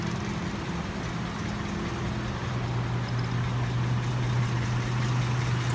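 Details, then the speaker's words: 1974 Ford Courier Mazda four-cylinder after valve lash adjustment: smooth, even idle, much quieter at the front with no valve tapping, only a light fuel-pump click. "as you can hear, it's a lot quieter at the front end."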